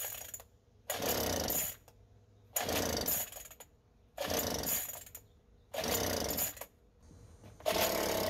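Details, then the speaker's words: Craftsman two-stroke leaf blower that wouldn't start, fuel present: fires in short rough bursts about every 1.5 seconds, never settles, dies; owner thinks not spark but suspects air filter. "all right so it ran there for just a second um so i don't think it's a spark issue i think this is an air filter"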